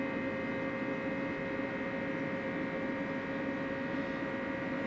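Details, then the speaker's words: EcoFlow RIVER 2 portable power station charging from 240 V mains at 30% state of charge, drawing about 340–350 W: its small rear cooling fan gives a loud, constant whirring hum while charging. "it is noisy when uncharged this little fan on the back is very noisy when this gets charged it's only a small fan"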